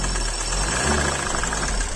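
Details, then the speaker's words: Used car idling: loud, fast, regular clac-clac knocking, something knocking inside the engine (rod knock); stop immediately if heard. "les clac clac clac clac clac du ralenti sont très très élevés il y a forcément quelque chose qui cogne vous l'entendez vraiment bien"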